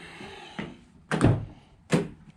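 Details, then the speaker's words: Drag car with a new 16-volt battery system: three hard solenoid clunks about a second apart with no cranking. The starter solenoid is dropping in and out and not staying engaged. "okay okay that's just the solenoid on the uh starter kicking in and out so some reason it's not staying engaged it just as soon as i hit the starter just bouncing"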